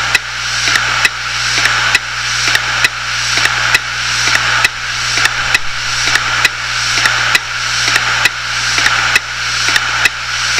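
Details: Failed 250GB Hitachi Deskstar 7200 rpm hard drive: sharp clicks about once a second over steady low hum, repeating like clockwork; dying drive clicking.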